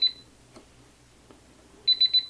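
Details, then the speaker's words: Onnais HX-008 Gen 2 biometric pistol safe: single high beep then three quick high beeps in a quiet room as the left thumb is rejected; it was enrolled with the right thumb, which works. "one thing to note is I used my right thumb when I set it no problem if I use my left thumb"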